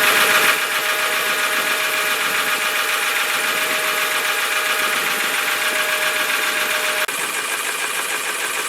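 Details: 1995 Ford F250 with 7.3 L Powerstroke diesel, idling in cold winter weather: dense clattery knock about four times a second with thin whine, rough idle; only when cold.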